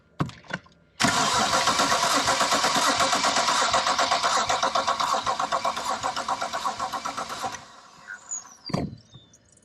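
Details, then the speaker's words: BMW N54 engine, cold compression test on cylinder 4, injectors disconnected, throttle closed: steady cranking about four beats a second with one lighter beat; cylinder 4 dropped from 150 to 75 PSI, no smoke, so piston and ringland probably not badly damaged. "So we have lost compression on cylinder 4. It's not smoking, which means it's probably not cracked the piston too badly or the ringland too badly."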